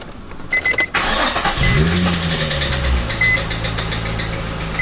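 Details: Nissan 350z after replacing the shredded A/C belt and the serpentine belt: engine starts and a thin squeak rides over the idle from an overtightened belt; loosening the tensioning bolt cured the squeak and A/C works.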